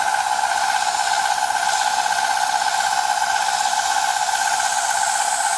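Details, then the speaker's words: Milling cut on Dickson tool holder blanks; steady rough hiss with two fixed ringing tones, no rhythm change; cutter chatter though the cutter was checked and sharp, cause unclear. "Doesn't sound particularly good, but I'll let it carry on at that to the end, and then I think it might change the end delay when I do the next block. Although I did have a look at that and it's nice and sharp, so I'm not really sure why it's making that noise."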